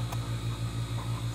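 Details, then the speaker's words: Radiant floor heat circulator pump on small hot water tank, system filled and all air bled out: quiet steady low hum with faint even pulse, no rattle or gurgle, like a refrigerator; running normally. "this thing is super quiet now you can hear it running just sounds like a refrigerator running a pump on the refrigerator"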